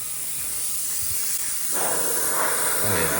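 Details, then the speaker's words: Tormach CNC mill with newly installed SST fogless Lube Cube coolant mister, running air only at about 25 psi: steady soft airy hiss, even flow, no sputter or pulsing. Normal low-pressure air blast. "right now it's just air and that's 25 psi and that would be like that's plenty to blow the chips away"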